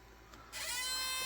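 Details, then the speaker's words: Garage-sale Mac SE being restored, 800K floppy drive reassembled with eject-motor gearbox gears realigned; with a rejected non-Mac disc a sudden high rising whir settles into a steady motor hum with no eject clunk; unclear whether it is ejecting or re-reading, manual eject likely needed. "Um, I don't know if it was actually trying to or if it just kept trying to read over and over again. Um, I don't know what quite that sound was, but at least for now, we'll be we'll uh be having to use the manual eject probably, but we'll see."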